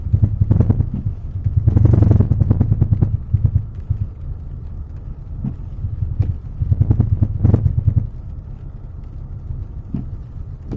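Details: Citroën C5 X7: dull, uneven thumps through the body on each small bump, knock from the right side of the suspension, source not yet found.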